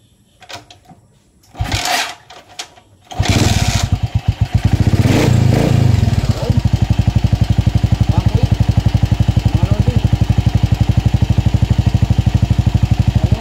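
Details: Motorcycle after replacing stator coil, regulator and ignition coil for backfiring and an erratic pulser/tachometer supply; charging 14.4 V: fires after a few tries, revs cleanly, then holds a steady even idle; running healthy.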